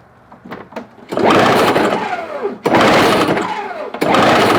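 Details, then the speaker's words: Toro CCR 1000 20-inch 3 hp two-stroke snow-thrower, customer machine, cranked by pull rope after spraying starting fluid, ignition on: three short dropping whirs of the engine turning over, about forty a minute, never firing; cranking, no start. "Don't tell me now I don't want to work, huh? Oh, wait. Nope, ain't nothing there."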